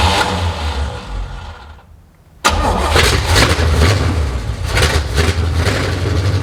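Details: 1970 Chevy C10 parked 10 years, new rubber fuel lines and filter, carb primed: cranks, goes quiet, catches briefly on primer without settling into idle; carburettor float bowls not yet filled.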